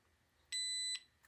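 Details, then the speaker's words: Multimeter continuity beep, a clean half-second high tone, while bench-testing a starter solenoid; the meter hangs beside the camera and is clipped to the battery and starter lugs, showing continuity when the contacts close. "now I have a multimeter and it's hanging on the side of the camera so you can hear it"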